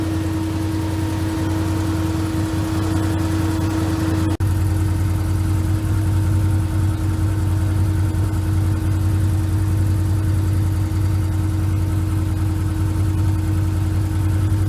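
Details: Can-Am Commander after replacing the OEM cooling fan motor with an aftermarket Hayden unit and bleeding the cooling system: steady hum and even whir over a smooth idle, no rattle or scraping; fan motor sounds healthy.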